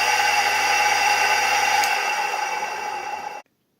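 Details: Three-phase 380V motor converted to run on single-phase 220V household supply using a run capacitor; even steady motor hum and whir with clean tone, running smoothly until switched off; motor runs normally on its capacitor.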